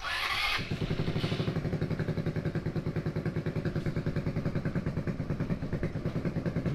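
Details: 150cc go-kart single engine revival: after a burst of cranking it catches and putters at a low, uneven beat while the throttle is adjusted, struggling to stay running, then stalls.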